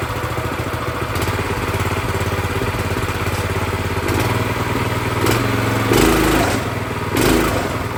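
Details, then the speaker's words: Brand-new Predator 212cc single-cylinder engine on a plate compactor, first start with fresh oil and gas: even putter at steady idle, speed shifting a little and picking up near the end as the idle is raised slightly; idles fine. "It's not bad at all. Had to bring the idle up a little bit. Other than that, this thing is ready to go."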